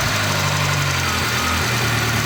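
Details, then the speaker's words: VAZ 2-litre engine, fully warmed: a light, quick ticking over the idle from a hydraulic lifter, less than the jackhammer knock of the day before; owner may replace the lifter. "Вчера он стучал, как отбойный молоток. По мере нагревания он начинает стучать ."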